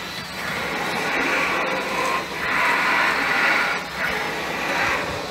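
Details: 2010 Ford Fusion V6 with electric power-assisted steering: a loud rough roar swells each time the steering wheel is turned and drops away between turns. Worn bearing in the electric steering rack.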